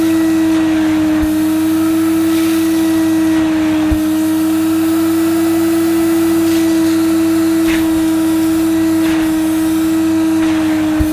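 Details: Mid-1990s (c.1994) Hoover Aquajet S4488 wet vacuum sucking up spilled liquid from carpet: steady motor whine with gurgling slurps as water is drawn up; suction fine, pump works, solution-flow fault lies in the hose (possibly twisted).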